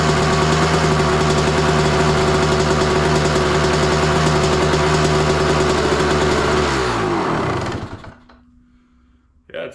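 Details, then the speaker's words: 2003 Honda CR250R two-stroke dirt bike, just started with choke, carb possibly needing work, fuel mixed heavy: fast steady buzzing idle well above normal tickover, then shuts off and coasts down; idling too high though it started easily. "It's suddenly idling too high, but started pretty easy."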